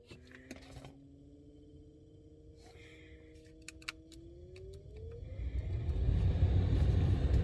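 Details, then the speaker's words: Buick Roadmaster wagon, new blower motor just installed: smooth motor hum climbing as fan spins up, then even rush of air with no scraping; gasket seated so fan doesn't hit anything, working fine. "so you might be able to hear it it's working just fine seems like the gasket is seated enough so that it's not uh hitting anything which is nice"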